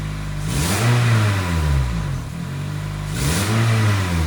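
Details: 2006 Toyota Corolla (E120), idle reset by shorting the battery cables to relearn: two quick throttle blips rise cleanly and fall straight back to idle with no stumble; the off-idle stumble is gone, likely from throttle body buildup.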